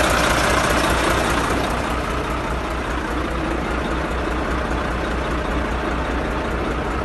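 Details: Volvo FH13 truck diesel at idle with regular deep knock about three to four per second under the clatter; engine reportedly blew up en route, white smoke and coolant traces suspected; connecting rod knock.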